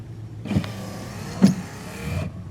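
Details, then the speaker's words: Car windshield wiper motor running after wiper blades were replaced; soft even motor whir with a light clunk at each end of the sweep, working normally. "wiper motor makes a pretty cool sound see if you can hear it I think it's kind of more in this area over here"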